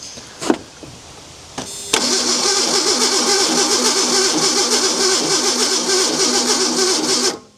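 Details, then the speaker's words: Abandoned Ford Bronco II with fuel injection and rodent-chewed wiring: the starter churns steadily for over five seconds and the engine never catches. Owner suspects no power wire to the ignition coil, so no spark. "I don't think we have any power wire to the coil here."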